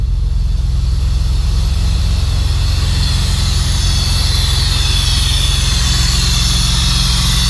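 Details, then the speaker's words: 2006 Honda Accord V6 J-series, first start after Stage 2 cam install with valve and timing belt adjustment, still untuned: steady idle with a loud airy hiss over the engine note — a vacuum leak from one hose left disconnected. "I was like, what the fuck is that noise? That doesn't sound right at all. Alright, so I would say that's pretty good. Out of all that shit, I missed one hose."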